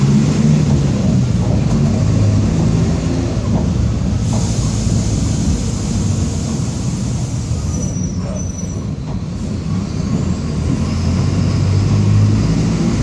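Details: 2007 Torino MBB OF-1722M diesel city bus, Grande Londrina 3311, line 314, while driving: steady low droning roar under the engine note that holds with road speed; worn, roaring rear differential.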